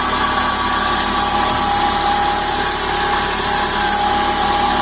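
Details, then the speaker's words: 2000 Chevy/Geo Metro with automatic transmission at idle: steady high-pitched howl with a growling sound that holds constant in pitch, owner suspects the transmission howling; no fluid leaks found, source unconfirmed. "oh it's really hard to trace down it's got to be the transmission howling"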